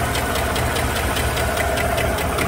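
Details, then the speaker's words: 2015 GMC Sierra 5.3 (P0300, P0304, P0172, P0324, rough running), cold: sharp regular ticking tracking idle speed, loudest passenger side; bent pushrod found on cylinder 4 exhaust, off the rocker arm. "with a stethoscope that seems to be on the right side i wonder if it has a damaged push rod bent pushrod or something"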